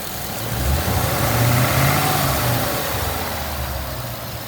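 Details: Ford Mustang GT after bearing replacement for a knock: fast idle held around 2000 rpm, smooth even drone with no tapping or knocking from the bottom end; coolant leaks from a cracked radiator top.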